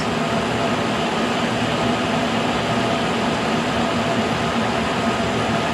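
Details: K&T mill first cuts on mild steel with a resharpened endmill, light cut, cold morning in the 20s, head not trammed: steady hum, faint mid-pitched tone and even cutting hiss, no chatter or squeal; normal milling cut.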